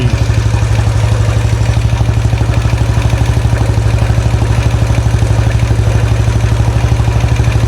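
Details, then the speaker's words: 2013 Royal Enfield Classic 500, first start after an engine strip-down to remove a stray M5 bolt: thumping idle with a sharp, even clatter about three times a second on top, and more shaking than before. Owner wonders whether rockers or pushrods; cause unconfirmed. "Anyone know what that noise is? Is it um rockers, push rods? Something else?"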